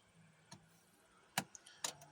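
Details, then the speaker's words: 2006 Mercury Mountaineer/Ford Explorer, key on: dead instrument cluster with good fuses, no crank, no start; several clicks as relays engage while the starter stays silent; starter relay to be checked next. "I wonder if his cluster died on. Hear some clicking. I'm hearing things engaged. Let's go to the starter relay next."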